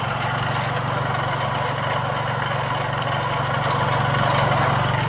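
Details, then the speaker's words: Chrysler PT Cruiser engine idling with a constant rough scrubbing rattle, recorded outside the car; the engine was later torn down, timing belt removed, to find the noise. "This the one that was making all the noise. While it was running loud, scrubbing noise, I sold tear down time."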